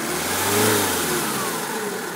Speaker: there you can hear the engine now no knocks no nothing all running as it should